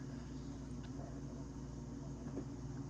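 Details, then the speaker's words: Whirlpool/Maytag WTW5105HC2 top-load washer in factory diagnostic mode: the water inlet valves are energised and filling, heard as a steady low electrical hum with no knocks or rattles, which is normal inlet valve operation. "If you change the pump, right now it's filling. I can hear the valve, they're activated."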